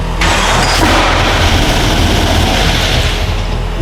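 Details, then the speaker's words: Nissan GQ Patrol with twin-turbo LS swap, first start after reassembly with oil and coolant filled: sudden loud bang as it catches, then rough, very rattly running and stalling; backfire of unknown cause, oil pressure good. "All right. So, we got oil pressure. That's good. Big backfire, though. I don't know what that was about."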